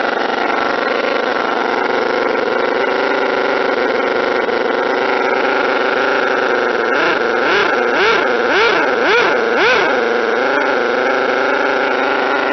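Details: Model twin rotary engine, retested after fixing stator gear mesh noise, bad crank and housing, plates .005 mm out; smooth high even buzz with brief rev wobbles, no gear rattle; normal running.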